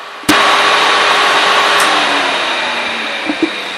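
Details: Original 400 V8 from a 1967 Oldsmobile 442, freshly rebuilt (new rod and main bearings, rings), on an engine stand; starts with a sharp bang, settles into an even steady run with faint high hum; healthy, good oil pressure.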